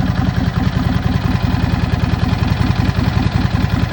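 Cold V-twin idling with a loose, uneven rattle riding on the lumpy beat, about two to three raps a second; the source can't be pinned down.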